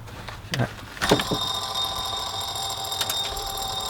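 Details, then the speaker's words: Land Rover Defender TD5, fan and belt removed, belt tensioner already replaced: idler pulley spun by hand gives a thin, high ringing chirp that hangs on as it coasts; the worn idler pulley bearing is suspected as the belt-area noise. "Is that the sound? Perhaps we should start by changing that pulley"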